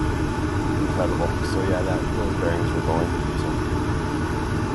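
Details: Old Lennox rooftop gas unit after inducer motor replacement, burners lit: steady, even roar, much quieter than the old motor, no rattles or bearing squeal; new inducer running smoothly.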